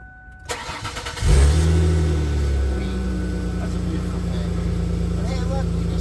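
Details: 2000 Ford Taurus after fuel pump replacement, key cycled to prime the fuel rail: brief cranking, then engine catches cleanly and settles into a smooth, even idle with no misses; healthy start.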